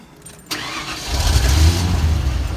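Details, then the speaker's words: 1992 Ford F150 after a new fuel pump install, first run in a while: a sharp crank catches at half a second and the engine settles into a steady, even low rumble, a normal start. "This is the first time it's been running in a while."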